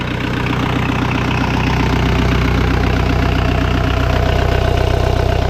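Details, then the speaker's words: Diesel swap in a Suzuki Samurai, glowed longer for a cold start, then idling through a two-and-a-half-inch downpipe into a two-inch stock-style Cherry Bomb exhaust: an even, quiet, muffled tractor-like clatter. Normal diesel idle. "all tractor it is way too quiet i put the downpipe to the stock all stockish cherry bomb exhaust two inch"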